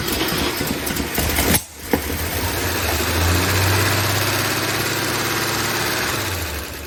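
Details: 1959 NAPCO Chevy Apache 1-ton, rebuilt 235 six-cylinder, first startup after oil prime and fuel pumped to carburetor, timing not yet checked: catches after brief cranking, steady even idle without knocks or misfires, oil pressure up; normal idle.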